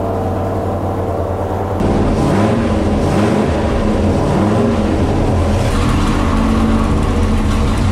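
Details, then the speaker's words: Big-cam V8 on an engine dyno during exhaust manifold tests, with low vacuum and suspected pinging; manifolds are smoking as paint burns off. Loud, choppy, lumpy idle like a Harley, with no knocks or misses. "Sounds like a Harley Davidson."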